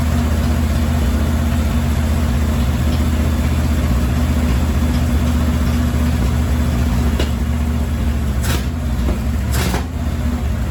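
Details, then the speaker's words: 1968 Chevy C-10, 307 V8 sat about 30 years, after carburetor and filter cleaned: steady even low V8 rumble with no misses, stumbles or knocks; runs and drives but smokes a lot. "Okay, that was a little brisk, but it runs, it drives, and it smokes a lot."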